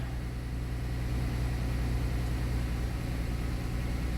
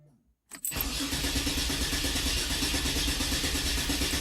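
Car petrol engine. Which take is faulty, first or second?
second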